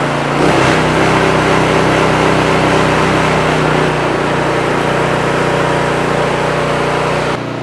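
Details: Predator small engine with HFS remote start module, after carburetor cleaning for only starting on choke, remote-started unchoked: single-cylinder holds a steady, even run with no misses or hunting, then drops off; running normally.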